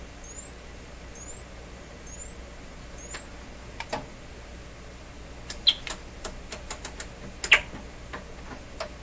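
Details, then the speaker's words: RCA Victor 67V1 console radio audio amplifier, before replacing its paper audio capacitors: rising signal-generator test tones about a second each, then a few clicks, through an uncased speaker, with no buzz, rattle or crackle; normal sweep. "good didn't hear anything unusual at all"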